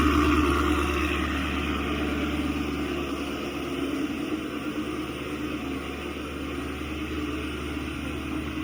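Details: 2016 Chevy Camaro SS 6.2L V8, almost 50k miles, remote-started after factory GM thermostat replacement: smooth, even V8 idle with steady low rumble and fan whoosh, no knocks or ticks; healthy, fan turns off at shutdown showing the thermostat works.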